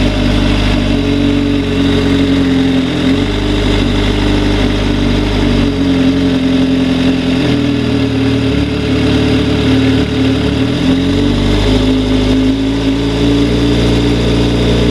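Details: 2004 Suzuki GSX-R600 four-cylinder running and revving with a knocking sound over the engine note. Cause unconfirmed.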